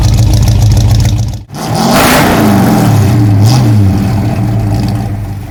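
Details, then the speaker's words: 1966 Ford Fairlane GTA after fitting a new starter, replacing the wrong one that hit the new flywheel: engine stops, cranks briefly, catches cleanly, revs and settles into smooth even idle with no grinding; normal start. "But come to find out, I believe this was the wrong starter because we went ahead and bought a new one. And as you'll see here in a minute, she purrs like a kitten."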